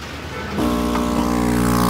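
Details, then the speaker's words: New ACO-006 80W air compressor (0.03 MPa, rated 88 L/min) for a fishroom, run alone after the old one was unplugged: switches on, then a steady, even hum with a clean buzz; running quietly and normally. "Nugot ko na isa, so tahimik na."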